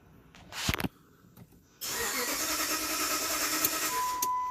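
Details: 2007 Dodge Ram 1500 5.7L Hemi: starter turns the V8 over steadily for about three seconds, tach shows crank signal but it never catches; crank no-start, scan shows engine communication fault, sensor or reluctor wheel suspected.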